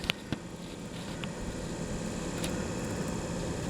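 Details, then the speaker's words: 1975 Corvette C3 heater blower after repair of an inoperative high-speed setting: switch clicks, then an even fan rush rising up to high speed; all speeds work normally. "all right i'm going to step through the speeds that's high so all the speeds work"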